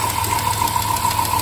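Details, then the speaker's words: Dodge Caravan V6 at 206,000 miles idling with light quick ticking over a hum and whine; brief misfire at cold start, oil-burning smoke when revved cold, burning-antifreeze smell, reported coolant leak; suspected valve train noise, seeming to come mostly from the rear. "When it was cold, I gave her the beans and she let out quite a bit of oil burning smoke. You can hear there's something going on with this valve train."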